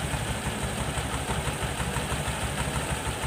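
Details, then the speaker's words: Honda Vario 110 carburetor scooter, repaired for abnormal idle with broken parts and swing-arm bushing replaced: even, steady low putter, no hunting up or down; idle now normal. "Nah, ini langsamnya sudah normal ya. Bunyinya halus ya. Tidak besar, tidak kecil, tidak besar sendiri, tidak kecil sendiri. Langsamnya normal, Guys."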